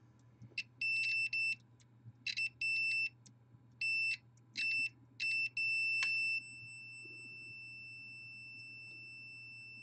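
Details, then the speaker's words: Multimeter continuity test on a surge-damaged modem-router board after a chip was removed: clear beeps in short bursts, then one long steady tone; unexpected continuity between points thought disconnected, possibly via internal circuitry. "we do still have continuity that's weird so at this point I would think that we would be completely disconnected from that circuit and that there should be no way that these could have continuity between them"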